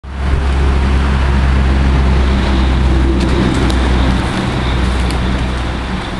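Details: Nissan 240SX (S13) with RB25DET swap: deep rumble with a choppy, irregular pulse, no smooth rhythm; misfire, cause unclear. Engine misfire.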